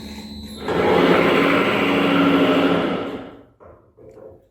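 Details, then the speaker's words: Tribotester friction test of an engine oil additive, test stopped at about 7 minutes: loud harsh rubbing roar with a steady squealing edge that dies away as the rig stops; severe friction, lubricant failure. "Niemniej jednak było słychać ten intensywny hałas z uwagi na dosyć intensywne tarcie."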